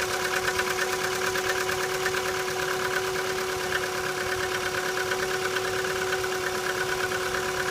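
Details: Chevrolet Cruze cold start in light frost: quick, even ticking about three per second over a steady cold idle, an unpleasant abnormal engine noise that disappears as the engine warms; source not yet identified.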